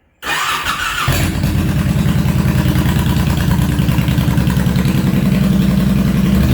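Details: Honda VTX1800 (2002-2005) V-twin after fuel pressure regulator replacement: cranks briefly, catches cleanly and settles into a steady even lope, no misses; normal start and idle.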